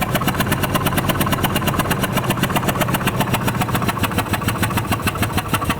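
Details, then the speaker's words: Ford F150 5.4 L Triton blown spark plug; sharp loud puffing tick about seven times a second over the idle, like escaping exhaust. Spark plug blown out of its threads. "that was the sound of a blown spark plug apparently that's an issue that these 5.4 L Triton engines have"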